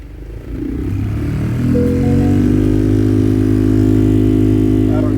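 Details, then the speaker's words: 2010 Ford F-150 with the AC on and the blower motor at full speed: a loud droning hum with a pulsing wobble that vibrates the whole truck; a foreign object in the fan cage is suspected, possibly a rodent or debris from a windshield replacement. "if you can hear that but it is vibrating throughout the entire vehicle and the blower motor in the these F-150s are right here and that thing is vibrating like crazy"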